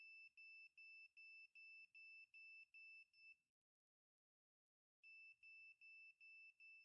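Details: A budget multimeter's non-contact voltage function held near a plugged-in live cord gives rapid, even high-pitched beeps about two and a half per second, pauses, then resumes: the live-wire detector is alerting normally.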